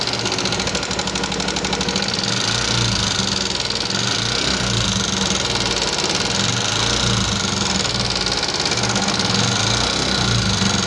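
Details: 2014 Yamaha Jupiter MX carburettor motorcycle at steady idle: fast, rough dry "kletek-kletek" clatter on every beat from the top end; rough-noise complaint, likely loose valve clearance.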